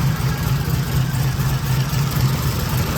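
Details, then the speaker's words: V8 car on a base tune, in closed loop, possibly higher ethanol content, before dyno tuning: steady, even V8 idle with low smooth burble and light valvetrain ticking now audible, no hunting; idling happily. "Now we can actually hear valve train noise. It's quiet enough that we can actually hear the engine. So that's definitely a good thing. Car seems to be idling pretty happy."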